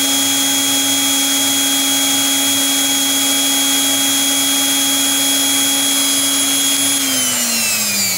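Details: Brushed electric planer motor on a prototype DC-to-AC 60Hz inverter, output 173V before start (127V target), small expected drop when running: steady high-pitched whine at constant pitch, then smooth wind-down; running normally.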